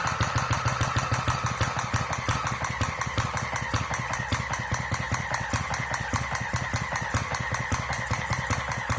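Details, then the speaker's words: Centaur model horizontal single-cylinder engine with electronic ignition and fuel injection, not yet warmed up, slowed to about 650 rpm; slow, lumpy, unevenly spaced firing close to stalling, with spit-back the owner attributes to a too-weak mixture when cold. "If you heard that spit back, that's a sign that it's too weak, so again, because it's not warmed up."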